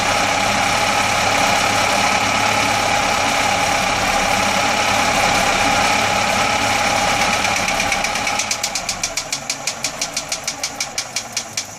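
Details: Atomic 4 engine running steadily, then a sharp, regular, crisp popping sets in at about six pops a second. Engine popping.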